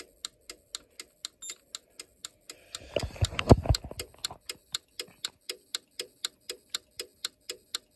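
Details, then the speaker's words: Simplex 4010 fire alarm control panel reset: steady dry ticks at about three per second with a brief louder clatter midway as the panel slowly works through its normal reset, which takes a long time. "I'm going to reset this. This one thing I don't like about this controller, the one thing is that it takes forever to reset."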